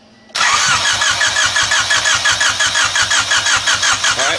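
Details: Honda, key on, cranking with test light on coil negative: steady fast cranking about three beats a second with no firing; no-spark, light blinking means igniter good and coil faulty, no blinking means igniter bad.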